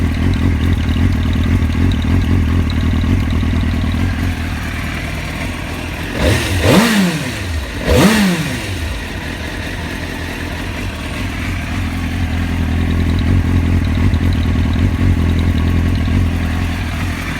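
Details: 2003 Suzuki GSX-R 750 (K3) idling with an uneven low thrum, then two throttle blips without clean pickup; hesitation began after a fill-up and appears only after a few minutes of running, at idle and on throttle.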